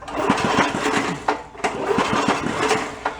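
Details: Toro 1132 snowblower pulled from bulk trash, engine cranking: quick, uneven chuffing and it never fires; no spark at the plug.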